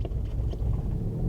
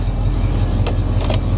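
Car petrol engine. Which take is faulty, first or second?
first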